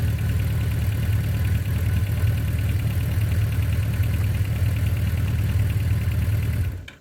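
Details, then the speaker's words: 1982 Suzuki GS1100L after mechanical restoration, warm start (not cold), idle turned down, not fully broken in: low, even burble with a smooth, steady beat, then the engine is shut off. It fires right off and runs well. "It's not a cold start. I had it running earlier, so it fires right off every time, and thing just purrs like a kitten."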